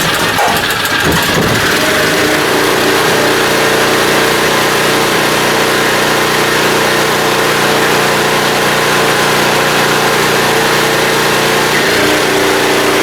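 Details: Small blue generator started after draining fuel and hooking up a vacuum on the fuel system: settles into an even, constant drone with a steady hum on top, holding one speed under load; running healthy.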